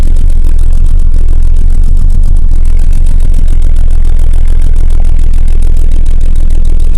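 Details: Volvo 480 that dies almost immediately after starting: rapid even cranking, catches briefly and stalls within seconds; earlier ran on only two cylinders with very weak plug spark, cause still unknown.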